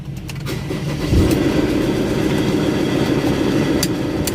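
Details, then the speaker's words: Ford Ranger Wildtrak 3.2 diesel before a general overhaul and engine rebuild. It fires and runs very badly, with a harsh, uneven clatter over a heavy rumble, about three knocks a second. "Narinig niya yan. So yan yung andar guys, napakapangit."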